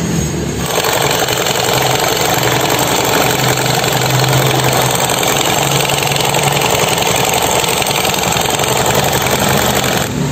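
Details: Honda Beat scooter before repair, engine running: harsh dense rattling rasp from CVT caused by worn, loose roller housing; replaced, making it quiet.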